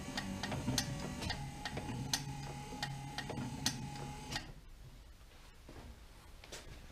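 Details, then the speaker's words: Wiper motor bench-tested with power on, switched slow then faster, after diagnosis: steady hum with light regular ticking about four per second, then the note shifts between speeds; normal running. "Now you probably can't see the spindle turning, and I can't, but I can hear it, and I can hear the note change."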